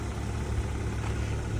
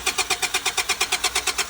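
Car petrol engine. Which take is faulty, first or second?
second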